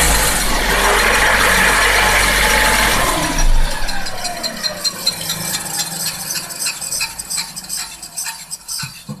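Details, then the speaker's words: Toyota Avensis, drive engaged, right wheel spinning: steady droning hum that fades with some rattle as it slows; worn right wheel bearing, needs replacement. "отсюда отчетливо слышен гул то есть подшипник надо менять"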